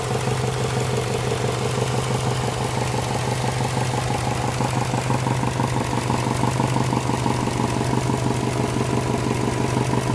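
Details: Subaru engine at a steady idle with a regular knock about two times a second tapping over the engine note.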